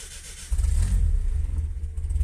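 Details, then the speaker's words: Car after starter motor repair that cured starter-drive slipping and grinding on start: engine catches at once and settles into a steady low rumble with no grinding or slipping whine; normal start. "escucha un encendido normal definitivamente este era el problema"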